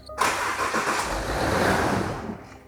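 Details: £600 luxury 4x4 run up: short, uneven cranking churn that labours and fades without a clean catch; weak start.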